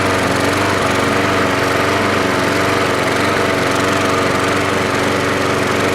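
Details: Troy-Bilt 12AV566N011 lawnmower after cleaning the carb bowl and main jet and flushing fuel through the needle valve, float not removed: smooth, even single-cylinder drone at steady speed with no misses, surging or knocks; it runs healthy.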